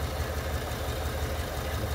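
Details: 2021 Chevy Suburban 5.3 V8 with codes P0300 and P050D: lumpy, uneven idle as cylinder 2 deactivates and stops working after start-up, a single-cylinder misfire.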